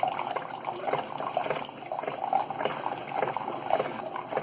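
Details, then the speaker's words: Keurig 2.0 K300 coffee brewer with a mechanical pump, after repair (had not been pumping; cleaned with vinegar, coffee grounds cleared from a tube): soft steady gurgling and trickling with no straining or rattling while brewing; normal pumping and brewing. "She's pumping. We have coffee coming through. There it is."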